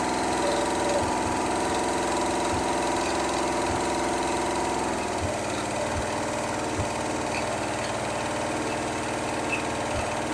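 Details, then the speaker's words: Rebuilt Pontiac 400 V8 with new one-piece rear main seal and a temporary shop carburetor, unstarted for a week: even idle, steady low rumble, light ticks, quiet lifters, no knock or misfire, good vacuum, no overheating; normal idle. "valve lifters you listen to it yourself and nice and quiet it idles nice Run's good doesn't overheat and it's ready to go"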